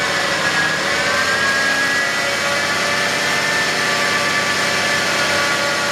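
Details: 2011 BMW X5 35d diesel at idle: steady high whine over the idle that does not change; suspected bad idler pulley on the belt drive.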